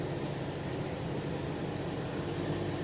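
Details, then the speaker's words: 1998 Jeep Wrangler TJ after clutch throwout bearing replacement (bearing previously squealed loudly): engine hums steady as reverse engages, no squeal or chatter; normal clutch engagement. "Clutch feels normal now. Oh yeah, that's great. No exhaust leak. The starter works great. Clutch sounds normal."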